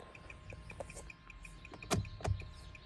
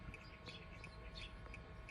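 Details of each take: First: Turn signal hyperflash heard inside the cabin: faint, quick, even clicking at about five per second under cabin noise after the left turn signal lamp went out, while the right flashes normally. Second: 2015 Kia Soul, inside cabin after a $10 fix: crisp even turn-signal ticks about three per second over quiet hum; both left and right signals now flash at normal rate.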